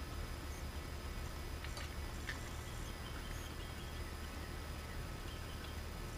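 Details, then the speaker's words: Vintage electrodynamic loudspeaker with humbucking coil wired in phase with voice coil instead of anti-phase: steady low hum under faint hiss, not cancelled; correct wiring gave 15–18 dB suppression. "in a demonstration here with the polarity being incorrect in n phase versus out of phase thus we're not getting the noise cancellation"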